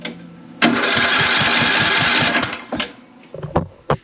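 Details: Craftsman LT3000 riding mower single-cylinder with good spark and new plug: starter spins steadily about three pulses a second but never catches; intake valve would not open or close.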